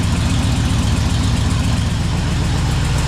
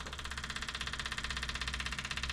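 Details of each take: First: 1978 Chevy Camaro drag car V8 after rewiring, battery relocation and new starter, just started: loud lumpy idle with uneven choppy pulses and occasional pops; ignition timing off, needs setting. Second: 1978 Chevy Camaro drag car being converted to Holley Sniper EFI 2, powered from a jump pack: the fuel pump, just reconnected, gives an even rapid buzzing whir with no engine running. It is priming normally and fuel arrives.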